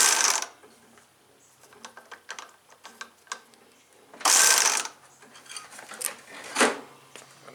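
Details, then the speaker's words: John Deere STX38, Kohler Command 13 hp engine: short whirring bursts and loose clicks from the starter, engine never turns over; drive not engaging; owner says the spring popped loose again, suspects a loose clip. "it's back to doing what it was earlier because the spring po loose"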